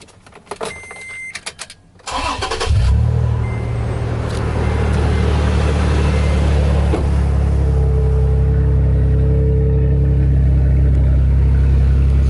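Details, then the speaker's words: Second-gen Toyota Tacoma after exhaust leak and rattle repair with spacers ground to fit; engine cranks, catches and settles into a steady deep idle with no puffing or ticking; no exhaust leak heard, repair sealed, not yet warmed up. "okay well i'm hearing no exhaust leak i don't feel any of the air uh hitting me in the face of the arm like i did the other day when i first uh noticed it so it definitely sealed it up good"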